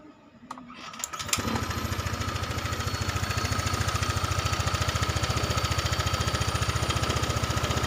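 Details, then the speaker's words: Honda Vario 125 injection scooter after TPS sensor replacement and manual ECU reset, very cold after rain: starts after a few cranks, slow to catch, then fast even idle with steady thumping held up while cold; normal cold start. "cuknya jadi ini ya agak lama karena ini masih dingin banget habis hujan tadi Lur"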